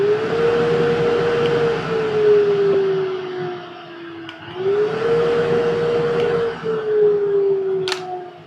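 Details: Grizzly shop dust collector switched on from across the shop near the table saw via a new external remote replacing the failed factory one: steady mid-pitched hum rising as the motor spins up, settling evenly; healthy.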